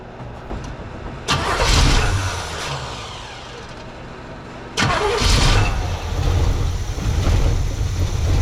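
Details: 1979 Pontiac Trans Am 10th Anniversary V8, parked since 1995, fed fuel straight into the carburetor (gas smells skunked) with a battery: two cranking bursts catch into a lumpy but steady rumble that holds; it starts and runs.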